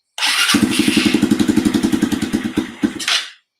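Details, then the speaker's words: Cold-natured small engine with a PZ30 carburetor, jump-started with a boost box after a hard start: chugs at about seven sharp puffs a second under a loud hiss; possible exhaust leak, owner thinks a crush washer is needed. "I think we do. Oh yeah. Might go pick up a crush washer."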